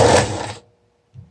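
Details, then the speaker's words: Starter from a 1974 BMW R90/6 airhead, bench-tested: short, harsh, dry grinding whir, then stops dead; suspected dry/worn bushings adding resistance, brushes possibly fine; not confirmed. "the bushing grindy grindy yeah so this sounds pretty dry and worn the brushes might not be bad"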